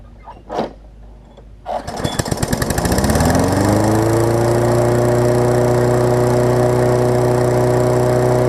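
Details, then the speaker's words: Craftsman 21-inch self-propelled mower after carb clean and muffler rebolted through redrilled holes: fires after a few pulls, settles to steady even drone without misses or knocks; runs fine, a little smoke, muffler holding. "But for right now, I'll start it up and hopefully show y'all that it runs pretty good."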